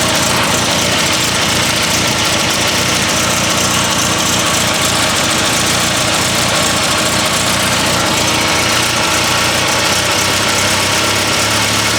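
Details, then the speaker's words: Classic car at idle: hissy, puffing exhaust leak over an otherwise healthy engine note; it previously sputtered on throttle and now clears out well. "Guys, apart from the exhaust leak, this engine sounds good."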